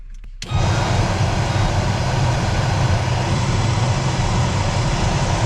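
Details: New replacement heater blower motor just installed in a 1995 Chevy K3500 dually 454 (OBS) and tested: it spins up within half a second to a steady, even rush of air with no ticking or grinding; a healthy blower.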